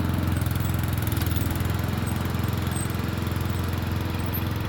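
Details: Murray Select 30" riding mower test-driven up and down a driveway: low, steady single-cylinder thump at constant speed, no misses or knocking; running okay, a little better, though the owner notes carburetor and gas tank issues.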